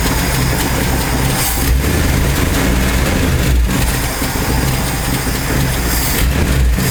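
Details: 1968 Ford F250 with a 390 FE V8 and a new Pertronix Ignitor replacing the points, warming up after a flooded start: a deep, even rumble with no misses or stumbles. Normal warm-up idle.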